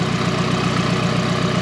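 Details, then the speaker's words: Nissan S13 240 after running out of gas and refuelling: even, regular idle pulse about eight beats a second with no skips or surging; idles healthy. "Alright, let's see. Sounds healthy right now. Sounds healthy."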